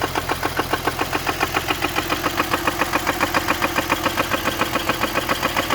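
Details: BMW E46 with M54B30 engine at idle: sharp, very regular knocking about three and a half per second, loud above the engine; owner suspects rod knock or spun bearing, not confirmed.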